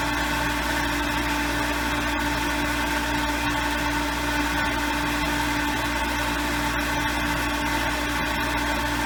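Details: Lodge water-system pump, reinstalled after its frozen impellers were freed: steady hum at constant pitch with no knocks while air clears the long intake line from the lake; pressure builds only slowly, to about 10 psi, pumping into the tank alone.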